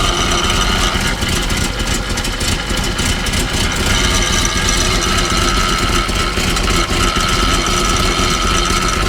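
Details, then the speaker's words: Truck after a tune-up with new plugs and oil; a rough idling rumble with a thin, steady high squeal partway through, which the owner suspects is a worn pulley needing replacement. "yeah I believe that it that's the problem I believe it's this pulley probably could use a whole new one honestly"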